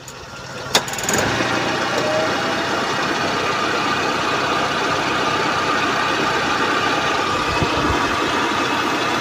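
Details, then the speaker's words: 2001 Suzuki Carry Futura Realvan GRV, carbureted engine, AC switched on at idle: steady idle with an even compressor hum and fan rush, no grinding, rattling or harsh noise; AC still cold; normal AC compressor running. "untuk kompresornya juga aman tidak ada bunyi kasar berarti untuk ac-nya Masih normal Masih dingin"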